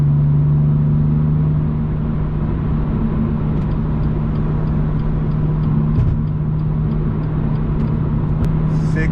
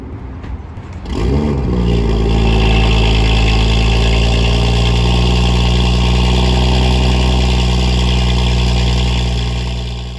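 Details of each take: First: BMW M2 with M Performance exhaust and silencer inserts fitted (fiberglass wrap advised), valves closed, comfort mode, highway cruise heading to 3,000 rpm: steady, subdued low hum with no booming swell; drone kept in check versus an earlier reading thought to be 72 dB. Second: BMW M2 with M Performance exhaust, no silencer inserts, cold start: starter churns, engine catches and flares, then holds a deep, booming fast idle; very loud startup, decibel meter thought to read around 60 at rest before peaking.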